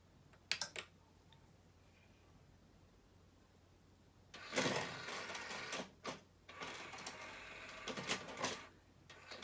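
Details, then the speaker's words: 2001 Sony CMT-CP300 three-CD changer just after a loading belt replacement: soft clicks, short motor whirs and rattles as the changer searches and reports no discs; a normal, smooth disc search with nothing grinding or slipping. "that sounds good the CD changer is now trying to search for a CD okay it's saying no discs"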